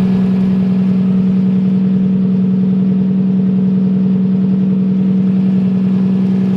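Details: Nissan S13 engine at start-up, intake air temp reading 20°C: steady, even idle with a smooth low hum and regular firing pulses, no misses or ticks; healthy.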